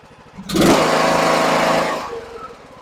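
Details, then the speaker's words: John Deere E100 riding mower that had died while running with a puff of smoke, after a $12 part fix: key turned, engine catches quickly and runs with a steady even buzz before easing off; normal start and run. "I'm hit the key just to see make sure yep I can hear it now we give it some key and see if we can get this thing to start"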